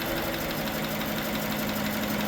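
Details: GMC Sierra 1500 replacement engine, first start after install with cylinders lubed with transmission fluid (smoking): steady idle, low hum, faint quick tick over it, possibly lifters; sounds okay.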